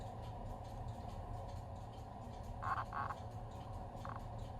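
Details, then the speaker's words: Victoreen CD V-700 6B civil defense Geiger counter with fresh batteries: scattered clicks over quiet hiss only while inserting and removing the suspect tube, silent once fully seated; intermittent clicking, possibly a shorted Geiger tube. "as I insert and remove it you can hear it clicking but once it's all in nothing happens so this may very well be a shorted tube"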